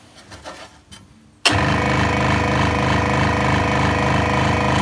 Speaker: And that's what it should sound like when we start it up. If you're getting any clattering, it could be that this guarding is just tapping on the side of this hold down clamp.